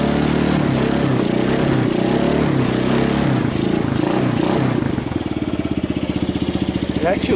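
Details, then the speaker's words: 1990 Kawasaki Bayou 220 ATV single-cylinder after cold start on choke, carb replaced, good compression; some revving, then an even steady thump at idle, no knocks or misses, battery charging. Normal running. "sounds good oh it's even charging the battery"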